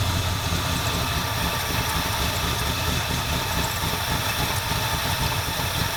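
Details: 1977 Ford F250 351M V8, carbureted, Duraspark II ignition, hot, after blocking off vacuum lines: uneven loping rough idle that doesn't smooth out; owner later suspected carburetor dirt and fouled plugs.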